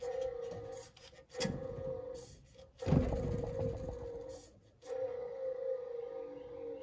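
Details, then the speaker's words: Goodman gas furnace inducer motor, removed and spun by hand: steady mid-pitched drone with rough scraping as it coasts down; worn bearing noise, replacement motor is silent. "I'll tell you what, you can You can hear that noise just when you spin it by hand."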